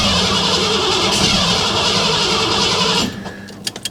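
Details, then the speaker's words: Shop truck just after timing chain and intake job, smog parts not reinstalled: about three seconds of cranking with irregular pops, firing on one or two cylinders, no start; owner suspects too much ignition timing. "I mean I'm not forgetting anything here am I obvious coils plugged in and stuff and I me it's popping on one or two something not doing what something's"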